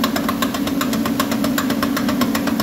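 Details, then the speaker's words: Toyota (RAV4/Highlander) raised on lift so suspension droops to simulate turning; sharp even clicks about eight a second over engine hum, traced to the passenger-side axle's inner CV joint, a failed axle though it seems driver-side. "you can hear that the sound is definitely coming from this side and and it's coming from that axle right there on the inner side of"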